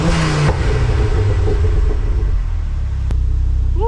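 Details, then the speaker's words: Ford Focus Mk2 ST petrol, warmed up, just after fitting Airtec oil breather kit and catch tank: blips up and settles with deep even exhaust note, no rattles or misses; normal revving, no leaks or smoke. "So she's warmed up now. Let's give her a little tickle, and then just double check afterwards."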